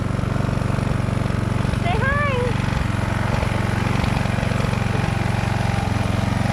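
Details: Husqvarna walk-behind string trimmer, sat for years, after installing a new replacement carburetor: small two-stroke holds a steady even buzz with no misses or surging; runs smoothly.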